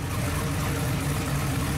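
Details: Newly built 18-degree small-block Chevy V8 in truck, first fire-up after timing advanced until it sounded happy: steady, deep idle with an even beat, no knocks or misses; healthy running.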